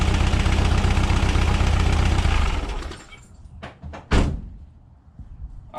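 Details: 1976 Volkswagen Westfalia bus, air-cooled type 4 engine, tuned with dual Weber 40 IDF carbs, around test drive: steady, even low chug at idle with no misses or knocks, then shuts down; smooth and healthy.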